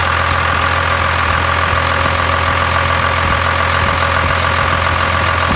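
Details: 1992 Dodge D350 12-valve Cummins diesel idling just after fuel/water separator filter change and priming: steady, even diesel clatter with no stumbling under loud key jangling; runs smoothly.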